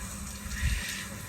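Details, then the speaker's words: Sprinkler system being turned on, supply valve opened slowly to pressurize lines: steady rushing hiss of water running through the yard lines, no hammering or chatter; normal fill. "And you can hear the water as it's running through all the lines throughout the yard. And depending on your house, this can take 15 seconds, it can take 30 seconds."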